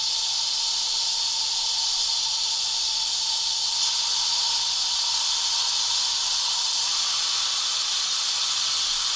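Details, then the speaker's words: WMF pressure cooker: the valve is pulled back to release pressure manually and slowly while the pressure indicator rings are still up, giving a loud, steady high-pitched hiss of escaping steam; a normal manual pressure release. "so if I pull this back I open this bottle there then I can slowly release the pressure because it was very slowly there's a lot of pressure on them"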